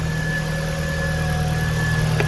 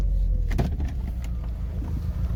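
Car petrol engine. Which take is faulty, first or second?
second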